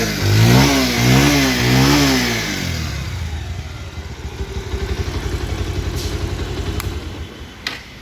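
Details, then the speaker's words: 2019 Bajaj Pulsar 150cc used motorcycle: starts cleanly, takes a few smooth throttle blips, then settles to an even idle ticking about four times a second. The engine sounds smooth, like new. Normal start and rev. "Engine sound শুনলেন আপনারা। গাড়ির engine sound এখনও smooth, নতুনের মতোই।"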